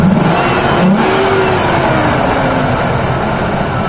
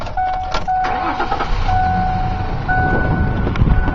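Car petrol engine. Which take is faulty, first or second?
second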